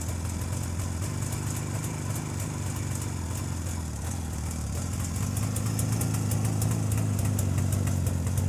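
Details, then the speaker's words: Jawa 350 two-stroke idling with a rebuilt electronic ignition circuit replacing the cam/points system, carburettor already set: softer idle, relaxed even "puh puh puh" exhaust pops, no misses or rattles, brief throttle blips. Normal idle. "і в цілому на холостих оборотах двигатель робить м'якше і в нього такі вихлопи такі пух пух пух"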